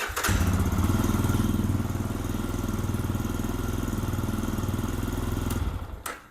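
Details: Lifan KPX 250cc EFI dual-sport, fuel line reconnected after fuel pump flow and pressure tests: starts right away and settles into an even single-cylinder thump around four beats a second with no misfires; healthy running.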